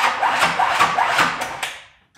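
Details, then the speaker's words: Custom-built 1985 Pontiac Firebird Trans Am built engine from a salvage auction, before adding starting fluid to the carburetor: starter cranks in a rough, uneven rhythm about three beats a second that falters and stops; cause unclear. "did not sound very good towards the end there the cranking sounds a little wonky"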